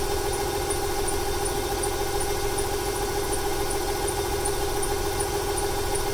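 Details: 1995 Ford 300 inline-six with over 400k miles: lumpy, uneven idle with stumbles over faint belt chirp, stutters more on throttle, smoke from PCV; misfire, owner wonders fuel or timing.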